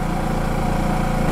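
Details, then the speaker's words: New Champion 6500 W inverter generator, first start, warming up for break-in in an echoey garage (sounds louder than actual): small engine humming at a steady low, even pitch, no knocks or misses; smooth quiet idle. "I'm in an echoey garage, so it probably is going to seem a little louder than it actually is, but I'm going to let it run, warm up."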